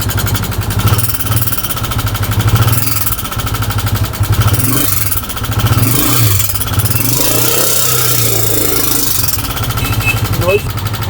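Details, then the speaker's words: Honda CG125 single at idle and small revs, found with no engine oil. A loud, fast metallic clatter rides over the thump. The mechanic suspects worn push rods causing tappet play, before opening the tappet cover. "इसकी आवाज से यह लगता है कि इसके कुछ शरार जो है वो खराब हो गए हैं। तो इसके अंदर कुछ होते हैं, सिलाइयां होती हैं जो वो खराब हो गई है जिसकी वजह से आवाज आ रही है।"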